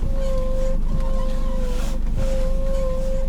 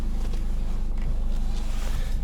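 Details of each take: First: 2011 Nissan X-Trail T31 at idle: squeak and hum from steering column when turning the wheel, steady ~550 Hz squeal coming and going with each turn. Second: 2011 Nissan X-Trail T31 idling steadily with no squeak or creak as the steering wheel turns, after lubricating the steering column.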